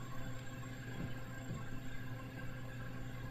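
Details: R290 cooler with an Embraco compressor, recharged to its 4.5 oz critical charge at about 72°F ambient with suction near 35 psi: an even, low mains hum with a soft steady throb and no rattles. The compressor is running smoothly.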